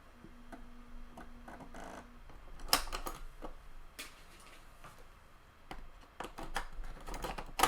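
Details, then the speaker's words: Water-damaged Amiga 600 Panasonic floppy drive in normal Amiga mode with a PC lead: sharp, uneven ticks repeating every fraction of a second as it keeps seeking. A ready signal is suspected faulty, and the drive wrongly thinks a disk is inserted. "That, do you know what that sounds like to me? There's some sort of ready signal in there that's not working right."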